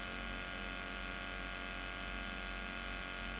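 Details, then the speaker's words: Electric guitar through a clean amp with no effects, strings untouched: a steady low buzzing hum with a bright edge, which disappears when the strings are touched; mains hum from unshielded guitar wiring. "jadi teman-teman bisa lihat dan dengarkan gitar Saya ini namanya adalah noise atau HAM gitu ya Nah Ton bisa dengarkan ada suara lain itu adalah HAM"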